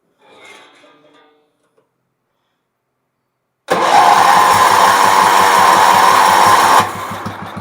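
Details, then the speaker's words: Bargain Wheel Horse 308-8 garden tractor with a leaking fuel tank and line, first fire-up: quiet, then the engine catches and settles into a steady even beat of about two firings a second before easing off. Engine starts and runs. "there looks like she's going to run now let's see what we got here"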